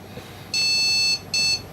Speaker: okay. It was 4 beeps. Yep.